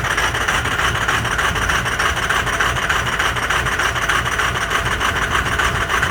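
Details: Cold start of a Ford 6.0 Powerstroke diesel with some bad injectors: loud, raspy, harsh clatter pulsing about three times a second at cold idle; rough idle from the faulty injectors.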